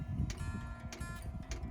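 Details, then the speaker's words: Van diesel heater's fuel dosing pump ticking lightly and evenly about every 0.6 seconds after being reconnected following a messy fuel spill; the heater then needed priming. The pump is working normally. "so pray that this works because that was a lot of effort I hear the ticking"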